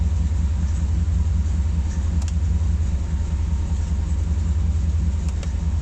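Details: Corvette C4 engine after crankshaft bearing replacement, idling: steady deep rhythmic thumping about two or three beats a second under the rumble; abnormal engine knock of unknown origin.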